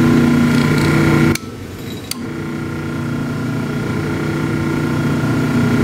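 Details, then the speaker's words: 1930s Delta DP220 drill press motor with brand-new bearings, running unloaded after restoration: steady even hum and smooth tone, apart from a brief handling knock; a healthy motor despite slight shaft play. "Yeah, what a good running motor. What a good running motor."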